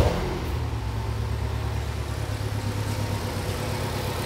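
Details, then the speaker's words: 2011 Ford Escape 2.5L four-cylinder with P0301 cylinder one misfire code, just started: rough idle with uneven, stumbling low beat; misfiring badly on cylinder one. "So we'll get this thing fired up and you'll hear immediately that it's not running well."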